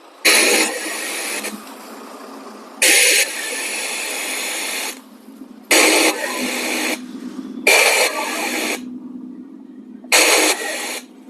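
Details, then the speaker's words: Maxon 4.1 home theater after resoldering the speaker connections, in FM mode: repeated bursts of strong, even hiss from the repaired speaker channel, which is now producing sound properly. "तो दोस्तों आप देख पा रहे होंगे इसमें भी आवाज आने लगी है।"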